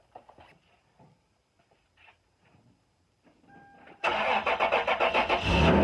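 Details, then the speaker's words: 2000 Toyota 4Runner, original 21-year-old muffler with a weld-seam hole packed with high-temperature epoxy putty, startup test 24 hours later: quiet, then catches and settles into an even run with no puffing or ticking; muffler sealed. "There we go. Seems to have worked quite well, and muffler's now all sealed up."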